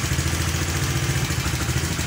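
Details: Carburetor Honda Vario scooter after the double-starter wiring change, running a Repo CDI: smooth settled idle, even low putter, no misses or clatter; idling properly.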